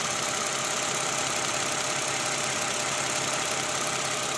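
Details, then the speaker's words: Toyota Camry 2GR 3.5 L V6 idling after replacing worn tensioner (worn bearing, weak spring) and worn fan belt: smooth steady idle, chirping squeal gone; engine healthy. "Oke guys, udah nggak ada bunyi di mesin 2GR ini sekarang."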